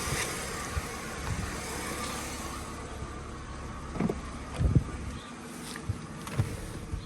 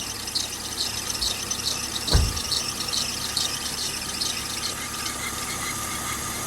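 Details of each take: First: Mercedes W204 just after accessory belt tensioner replacement, first start: engine blips and settles with no chirp or squeal, belt drive quiet so far; belt now seemingly sits deeper, not at pulley edge. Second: Mercedes W204 alternator/accessory belt squealing at idle despite replaced idler pulleys and belt; sharp steady squeal with brief thump, quieted by water or silicone spray, likely belt rubbing pulley edge as tensioner runs belt at its edge; fix: tensioner replacement.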